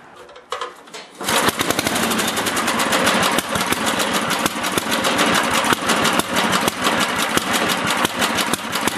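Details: Older 8HP Briggs & Stratton engine on an old Lawn-Boy two-stage snowblower after carburetor cleaning, mixture screw turned in to lean a rich run; crisp steady single-cylinder pop right after catching, even beat, no hunting; normal healthy idle.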